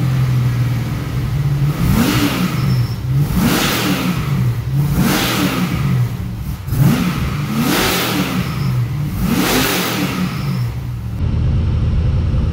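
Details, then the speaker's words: LS1 V8 in an XG ute, first start in the car with a better carby and custom exhaust: lumpy, loud idle with sharp blips, revs rising and falling cleanly over a deep even rumble. Normal running. "gave it that's loud that's awesome that's what you want you want quite an idol yeah loud up top"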